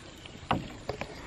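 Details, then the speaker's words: Ram pump running underwater with delivery fully closed; muffled uneven thumps about every half second as the drive pipe pops against the pond side while cycling; normal operation, slightly quieter than in air. "can still hear the noise the drive pipe makes as it cycles"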